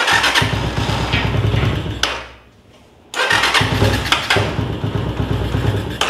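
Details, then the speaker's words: Motorcycle fires and runs rough about two seconds, then dies whenever throttle is opened, sounding like it sucks air; restarts and cuts out again. Weak spark, stator suspected but not confirmed. "entonces chequen bien prende pero al acelerar o cada que intento acelerarle se muere y se muere"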